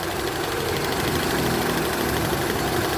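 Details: Mitsubishi Lancer MX petrol engine idling unevenly with irregular knocking pulses about three times a second; misfire or idle-up issue being diagnosed, cause unconfirmed.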